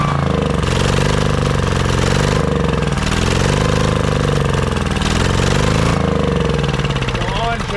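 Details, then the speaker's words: Honda EB3800X generator, GX240 8 hp engine, won't start or stay running: engine speed wavers and hunts, barely staying running on choke; rough running on choke from the bad carburetor, later replaced. "Make sure that it's not stuck on high. It'll almost stay running on choke."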